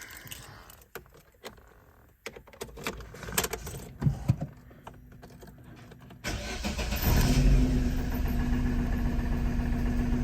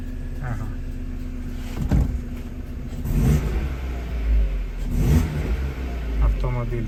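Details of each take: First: Opel Astra H engine cranks and catches into a shaky idle with a recurring stumble; code P0302, cylinder 2 misfire, ignition coil module checked and replaced. Cylinder misfire. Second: Opel Astra H, after replacing the ignition coil module for a cylinder 2 misfire (P0302): no misfire, it picks up cleanly on throttle blips and settles smoothly. On LPG there is a slight hesitation and the gas system needs adjustment.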